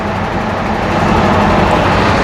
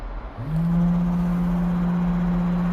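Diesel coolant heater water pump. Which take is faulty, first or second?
second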